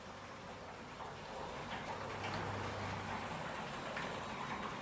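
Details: Panel garage door after lubricating its bearings with silicon spray, run up and down. Steady motor hum and soft rolling rumble, no squeaks or scraping: normal operation.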